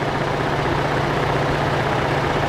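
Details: 2013 Ford F-150 3.5L EcoBoost auction truck at idle, fan and AC off: fine busy mechanical rattle/knock over the engine, traced by stethoscope to the high-pressure fuel pump; noisy pump.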